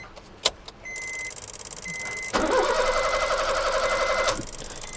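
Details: Honda Amaze petrol with a relay blinking noise at ignition on, traced to the third relay, with no proper signal from the ECM. Starter spins about two seconds and never catches or idles. Crank, no start; ECM fault suspected, not confirmed.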